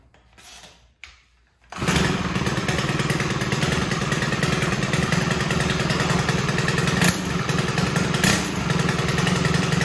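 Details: Stihl FS130R 4-Mix four-stroke trimmer on mixed gas, after intake and exhaust valve adjustment cured hard pull-starting: catches after a couple of quiet pulls with choke, then runs steady with an even smooth buzz; healthy.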